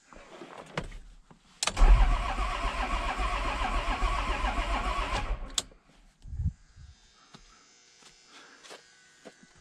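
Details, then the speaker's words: 1994 Isuzu cab-over diesel truck sat 3 years, cranking after battery terminal cleaning; catches into rough, lumpy firing with uneven beats for a few seconds, then dies; skipping, cause unknown. "engine sounds like it's got a skip in it"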